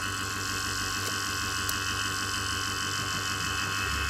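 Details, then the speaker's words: A/C vacuum pump evacuating the R134a system of a 2008 Citroën C5 X7, gauge at minus 1, pump note changes as the second valve is opened: even fast chugging pulse about three per second over steady hum, no knocks; running healthy. "Et là maintenant il faut ouvrir ici aussi. Voilà, le bruit de la pompe change."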